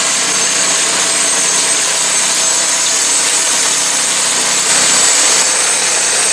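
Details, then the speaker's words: New Predator 212cc 6.5 hp single-cylinder engine on snow blower, replacing 40-year-old engine with failed carburetor, blowing snow: steady even drone under load, no misses or surging; working better than in three years. "Well, all right, so that thing's working better than it has since I bought it 3 years ago."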